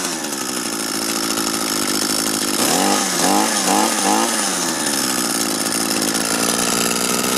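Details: Used Echo gas two-stroke string trimmer after repair with a 3D-printed part and a good carburetor salvaged from three, started with the choke on: fires up with a high buzzy rasp, a few throttle blips, then settles to a steady, even run. Normal.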